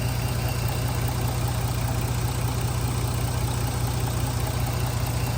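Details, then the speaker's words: 2009 Jeep Grand Cherokee idling after the dealer fixed a low oil pressure fault: smooth, quiet, even idle with no ticking or knocking. No oil light yet. The owner is unsure about smoke from the front, maybe oily residue burning off. "and it sounds good it sounds quiet"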